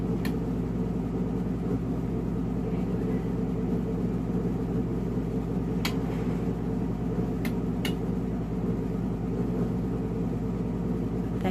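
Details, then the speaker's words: Skutt kiln starting a slow-speed firing, vented with the top peephole out. Sharp isolated clicks over a low hum are the automatic controller switching its three independently thermocouple-controlled elements on. Normal relay operation. "clicking noise is the automatic kiln setter turning the elements on inside the kiln."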